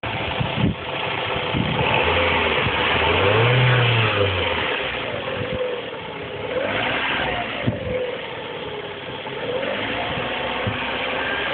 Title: piston slap - warm